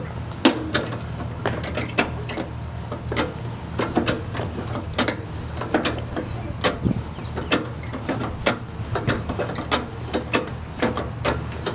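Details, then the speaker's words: Old go-kart that sat in a shed for years, during repainting: irregular dry creaks and sharp clicks each time the steering is turned, over a low hum; unlubricated steering joints are only suspected. "the cracks of the turn steering it's a listen to this"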